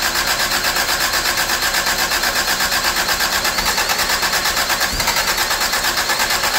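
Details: 1985 Toyota Tercel, after moving the distributor back because timing was suspected to be off (it had spark and fuel): steady, even idle beat with a bright, busy top end and no misses or knocks; normal idle.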